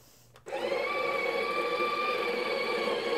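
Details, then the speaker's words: Breville Barista Pro built-in burr grinder running normally: a steady, even whirr of constant pitch that starts abruptly and holds without catches or labouring. The grind runs about 10–11 seconds and can be paused to shake down the mound, then resumed. "is gonna brine for about 10 seconds 11 seconds you can pause it shake down the mound in the middle and then resume"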